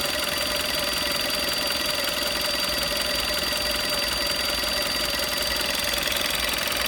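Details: 2011 VW Golf VI Style 1.4 TSI (90 kW/122 PS), warm engine at quiet idle: a thin, steady high-pitched whistle holding constant pitch, heard only around the water pump area of the engine bay; cause suspected, not confirmed.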